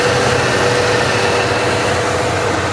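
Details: 1 owner 1982 Ford F150 XL, 76K miles, sitting since 2013, revived running on its own fuel tank after shaking and sputtering earlier: steady, even idle with a smooth hum and no misses; now running cleanly.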